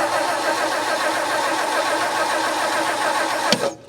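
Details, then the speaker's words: 1959 Meteor left in the bush, being revived: starter cranks steadily for several seconds without firing, still no spark after cleaning the ignition parts; owner suspects the points gap or worn points. Crank no start, no spark. "Nothing, still no spark. I think I might check the points gap, like I'll actually set it properly."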